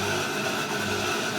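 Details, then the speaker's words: Air cooler water pump switched on alone, fan and swing still off, after the wiring checked OK for continuity. A steady, even hum with a light wash of water and no knocking or grinding: the pump is running normally. "ये आवाज जो आ रहा है ये pump का आ रहा है, pump चल रहा है।"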